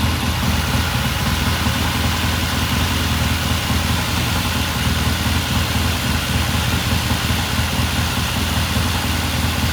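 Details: 1969 Triumph TR6 vintage British motorcycle, pilot jet cleaned and pilot air screw turned in half a turn for a richer starting circuit; after a cold start the twin holds an even, steady idle with a smooth low beat, no misses or hunting: normal idle.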